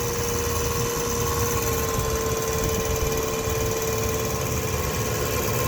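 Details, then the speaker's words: 2007 Ram 1500 5.7 Hemi, 140,000 km, idling after remote start: loud steady high whine at constant pitch over the V8 from the transmission area; starter bench-tested fine, no leaks or rubbing found; cause unknown. "anyway this transmission is whining it's incredibly loud"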